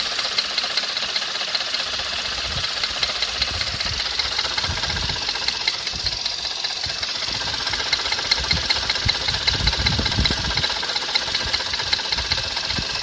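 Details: Skoda Fabia RS engine running: sharp, fairly regular metallic tapping, about two or three a second; a knock of unknown origin, either in the engine or in the accessory units.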